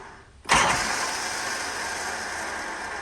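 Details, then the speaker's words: Harley Shovelhead with S&S Super E carb, in neutral with the enricher on: harsh metallic grinding and ratcheting as the starter engages during cranking; Bendix or starter drive suspected, not confirmed. "I think it's a Bendix or the starter Drive so yeah so that's an issue"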